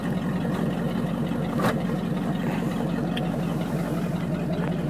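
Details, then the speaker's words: 1979 Chevy 350 V8, first cold start after years unstarted in winter, temperature still cold, oil pressure gauge likely not working: a deep, steady burble with an even beat and no misses or knocks; normal cold idle. "idle's nice though"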